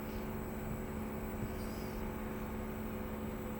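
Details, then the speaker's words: Samsung WindFree 12000 BTU split inverter outdoor unit just started: steady low hum with fixed tones, cabinet vibration still mild but builds to strong; nothing touching the unit, vibration is in the casing and eases when the side panel is pressed. "ainda tá baixo e a vibração ela é toda na lataria mesmo ela é na própria máquina entendeu"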